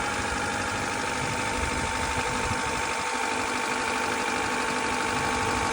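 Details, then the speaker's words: Honda Accord (CB7) idling while bleeding cooling system, heater on, after busted thermostat-housing coolant hose fixed, radiator flushed, fresh blue Honda coolant; power steering pump noted loud on startup: steady, even idle, no knocking or misses; sounds healthy. "Car is running good. It sounds good."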